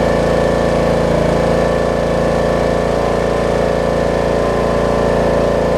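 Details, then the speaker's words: Snapper rear-engine riding mower after bad-gas repair, fuel system fixed, oil checked with no fuel contamination: starts on second pull, settles into smooth even steady beat with no misses or surging; normal running. "i'd say that's a success second pull make sure it runs and or dries and cuts like it should do good"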